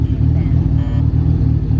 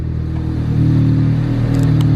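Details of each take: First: Honda Del Sol, stock D16Z6 single cam with eBay turbo kit, first start before tuning, wideband reading only lines: lumpy shaky idle surging and sagging, maybe smoothing out slightly; rough idle. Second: Honda Del Sol with a stock D16Z6 single-cam engine and an eBay turbo kit, during dyno tuning after the base map's 20% overall fuel was reset to zero: a steady, even low idle. It sounds smoother and less rich.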